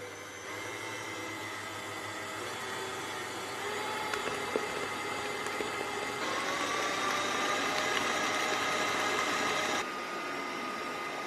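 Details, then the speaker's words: Kenwood kMix 500 W stand mixer with K-beater, icing sugar added, speed turned up; a clear rising whine sits above the steady motor hum; motor whine at high speed. "Now we'll whack it up a bit. You can hear that whine."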